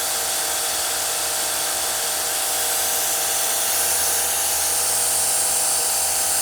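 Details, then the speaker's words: Kranzle K1122TST electric pressure washer, spraying at about 1090 psi: even high hiss over constant motor tone without pulsing or knocking; pump holding pressure, healthy under load. "sounds so good just sounds like a German high quality machine"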